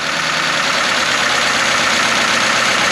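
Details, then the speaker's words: 1953 Pontiac straight-eight, first run since 1971, on partial choke: fast even idle, slightly hissy top end, no knocks or misses; normal idle, rust blowing out of exhaust. "Is this thing, I got it choked a little bit, but they can idle."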